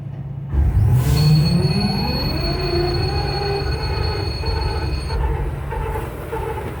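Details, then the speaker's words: EMD SD70ACe locomotive failing to auto-start with battery saver on: rising air-start whir spins the engine but it never fires; cranks but won't start. Owner suspects the electric fuel pump isn't running; no tripped breakers found. "I don't hear the fuel pump running."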